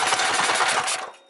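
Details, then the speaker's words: 212 Predator mini bike carburetor before idle adjustment: fast uneven popping chug with a hissy "shush" rush that dies off. Engine is starving for fuel, running lean at idle; fix is turning out the small bronze mixture screw. "so I'm going to start the bike and y'all going to hear how it got like a little CH chug to it so that mean it's not getting enough gas"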